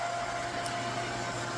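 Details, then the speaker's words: Newly installed pool pump, wiring temporary, running: steady even hum with constant mid tone and smooth water rush, no grinding or rattle; running fine, normal. "But it is running just fine. And I couldn't be happier."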